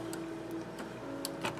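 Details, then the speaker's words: Sony HST-221 cassette deck after replacing worn drive belts, plugged back in: soft, steady motor hum with light mechanism ticking, transport spinning evenly and moving as it should; normal cassette transport running. "all right that seems to be moving as it should"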